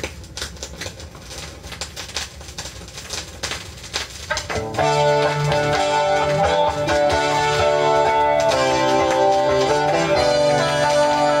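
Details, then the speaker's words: Very dirty Doobie Brothers vinyl record before cleaning with a Spin Clean MK II; scattered pops and crackles in the quiet lead-in that keep ticking under the guitar, surface noise from dirt, with scratches and scuffs also present. "we're going to do an extreme here this is doobie this is the Doobie Brothers you can see how crappy how filthy that is and we're gonna listen to it stop shaking sorry about that you can hear the crackling"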